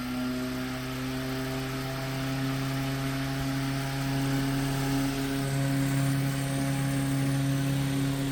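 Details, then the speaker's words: 1930s Robbins & Myers vintage fan after full restoration, with new wiring, plug and voltage-divider speed switch: a smooth, even motor hum with no scraping or brush chatter. Normal running; the oscillator knob is loose. "Heat. [Music] Robinson Meyers 1930s vintage fan. Oh, that oscillator knob is blue. So, I'm going to have to tighten that. But she works."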